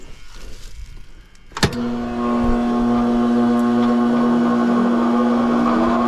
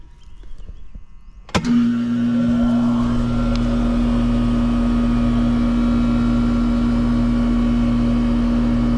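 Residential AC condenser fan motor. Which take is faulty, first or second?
first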